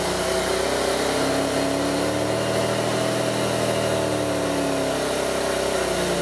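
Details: 2002 Pontiac Grand Prix 3800 with rough idle and bogging, no check-engine light, alternator overheating and a faint intermittent thump pulling the idle down: uneven idle sagging and recovering. Rough idle, cause not yet found.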